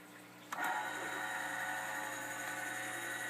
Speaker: Alright, red light. Disk drive spun up. Oh, look at there!